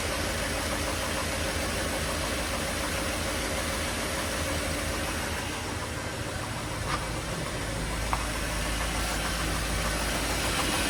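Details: 1957 Mercury 368 cu in V8: a rough engine knock of about three per second, worse when cold but still present at higher rpm when warm. Cause not yet determined.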